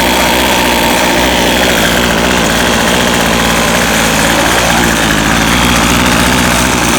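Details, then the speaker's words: Featherlite Extreme FX 265 trimmer, 25cc two-stroke, bought used and never started, just after priming: steady slightly uneven high idle, running on its own; high-speed mixture needs adjustment. "wow okay so it's running on its own it's running the high needs to be adjusted probably not going to mess with that today"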